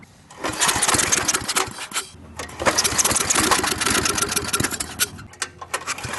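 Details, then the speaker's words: Briggs and Stratton industrial small engine, hard to start, just after carburetor reassembly: runs ragged and uneven, revs sagging with drop-outs, sounding fuel-starved; owner suspects the fuel pump isn't delivering fuel to the carburetor. Rough running, surging. "all right running i'm not sure the stop field pump is working y'all our fuel is not really getting to the carburetor like it should"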